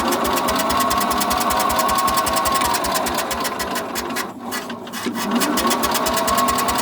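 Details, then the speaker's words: Sears SS14 garden tractor cranking with fuel on and choke tried, after five minutes of attempts: steady rhythmic cranking about four strokes a second with no catch or firing; owner wonders if it lost spark, was running fine before. "i can't even get the freaking thing to pop over chuck won't do it throttle won't do it i wonder if it lost spark i hope not it was running just fine"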